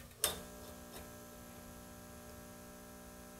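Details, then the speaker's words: 1950s Hart battery charger charging a 12 V battery on the higher 12 V settings; steady buzzing growl with even pitch between switch clicks, normal transformer hum under heavy charge, battery reached 13.5 V. "You hear that growling away? Doesn't that sound mean?"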